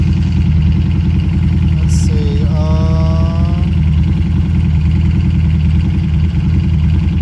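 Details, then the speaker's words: Harley Street 500 now fitted with a fresh 750 engine (60 miles) plus a 750 ECM and throttle body, fully warm at about 270°: deep, steady V-twin idle, lowest yet, with an even beat and no hunting. Idle problem fixed. "it's essentially up to temperature that's the lowest it's ever idle just could not get this thing idle 270° it sounds way better"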